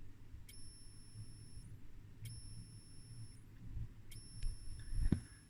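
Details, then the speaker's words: Danish military gamma radiation intensity meter (model 1965, type 6115D, unit dated 1966), tube and germanium transistor, running on one D cell, powered on and off: three thin, steady-pitch whines from the step-up switch-mode converter, which is working normally. "And I think there's actually a step up switch mode converter or something like that in here, and I can hear that is doing its thing."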